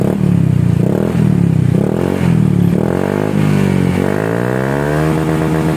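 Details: Honda Scoopy with its CMS exhaust reworked to cure a tinny note, after the rework: the engine revs and settles into a rounded, mellow drone with no tinny rattle. The exhaust now sounds softer and normal.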